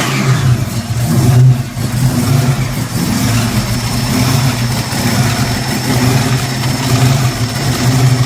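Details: Freshly built small Hemi V8 fires and runs with a deep, steady burble, picking up cleanly through a couple of blips and settling evenly; sounds healthy.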